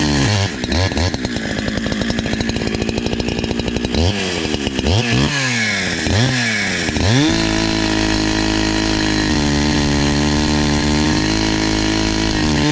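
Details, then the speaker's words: NEO-TEC NH872 71cc chainsaw (Husqvarna 372 XP clone), brand new with 28 in bar, after carburetor tuning: crackles through blips, then revs up to a strong steady high scream under throttle; running clean, now running pretty good. "seems like it's doing better seems like it's running pretty good now"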